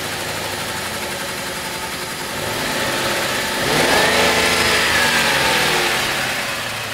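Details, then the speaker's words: 1999 Lincoln Town Car V8 with codes for misfire on cylinders 4–8 and lean on banks 1 and 2: idles, then revs and settles with a ragged, sputtering beat instead of a smooth burble; misfire on several cylinders. "The noise is coming from here. From this area at least. Yeah, that's different. See, it's still sputtering."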